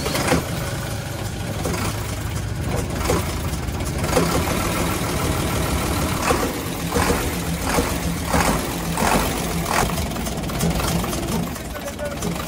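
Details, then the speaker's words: UD Nissan PKD 411 truck, NE6 six-cylinder diesel at idle: uneven chuk-chuk puffing, louder from the intake side; intake valve found leaking. "आवाज किस तरह से आ रही है छुक छुक की आवाज आ रही है"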